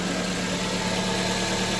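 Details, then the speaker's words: 2007 Suzuki SX4 2.0L J20 after timing chain set replacement, fixing worn guides and stretched chains: steady, even idle with smooth hum, no rattle or ticking; timing chain quiet, normal idle. "timing pain is nice and smooth"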